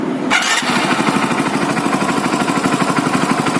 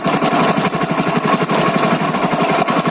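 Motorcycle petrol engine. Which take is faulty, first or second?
second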